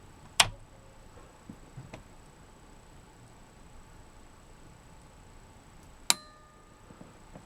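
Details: Pioneer SA-8800 Mk2 amplifier after protection-circuit repair: quiet room, then one crisp click seconds after power-on as speaker protection relay pulls in on its delay, as it should.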